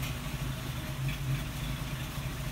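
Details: 1938 Chrysler engine: low idle rumble with an uneven, stumbling pulse rather than a smooth hum; compression test found one low-compression cylinder, the root cause of the miss.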